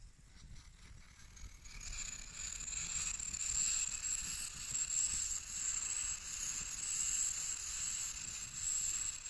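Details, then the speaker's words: MSR WhisperLite Internationale 600 stove relit after fuel off about five minutes, under a pot of water: steady high hiss builds over two seconds as it repressurizes, then holds even with slight surging; burning normally. "we're gonna turn on the fuel let's see like this it's been off for about five minutes so you can see that it's gonna take a little bit to repressurize"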